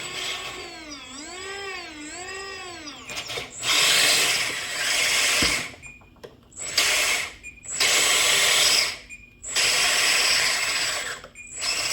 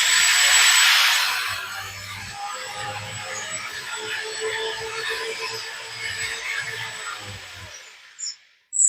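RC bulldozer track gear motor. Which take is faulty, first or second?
first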